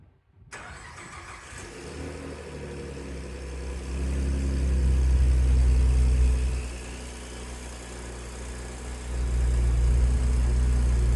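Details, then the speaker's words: Ford Ranger truck (turbo) first start after installing equal-length downpipes, V-band flanges and high-flow cats: cranks, catches cleanly, smooth deep idle with two even rev blips; sounds healthy. "Wow. That sounds good. I wasn't expecting it to sound that good."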